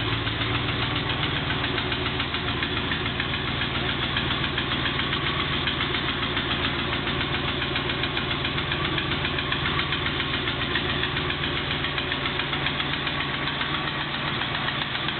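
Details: Triumph Stag V8 at cold-start idle: a steady rhythmic knock, about four beats a second, rides over the engine; ignore the starter-solenoid clicks from three start attempts.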